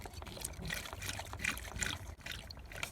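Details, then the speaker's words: Peugeot 207 1.6L HDI diesel service, new fuel filter fitted and bleed screw open: irregular trickling and gurgling as the hand primer is squeezed and fuel runs into the filter. Priming works normally. "Okay, so what felt like an eternity of squeezing the hand pump just here, you can now hear fuel coming into the fuel filter."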